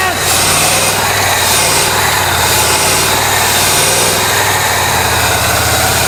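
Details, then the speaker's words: Abandoned 1993 Ford F150 after sitting 14 years, raised idle around 500 rpm: low, uneven, lumpy beat under hiss; the owner says it definitely has some dead injectors, and it smooths out quite a bit. "Definitely got some dead injectors. Smoothed out quite a bit."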